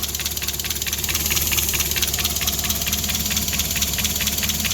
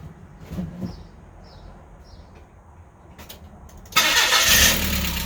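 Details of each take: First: Mazda Miata running again after a supercharger intake install (new throttle body piping, IAC coupler, AFM, cone filter), idling a little low: loud steady hiss over an uneven idle, owner suspects a vacuum leak, perhaps from the different intake; hissing at idle. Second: Mazda Miata after a supercharger intake install, supercharger belt not yet fitted; the starter cranks and the engine catches in about four seconds, settling into a steady but slightly low idle; a clean start.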